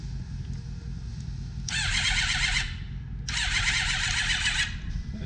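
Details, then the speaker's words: Suzuki GSX-R1000 after starter replacement and new 6-gauge power and ground wiring, fuel tank off so no start: two strong, even bursts of fast starter whirring, no grinding or clicking; cranks cleanly. "seems to be cranking beautifully now that the starter actually has its brushes in communication"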